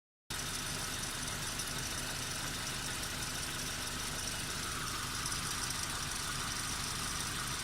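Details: Nissan Micra K12 1.4, CR14DE engine, 104,000 miles (166,400 km), at idle: busy, rattly hiss and chatter. Owner is unsure whether it is the timing chain or the drive belt tensioner; the cause is not confirmed.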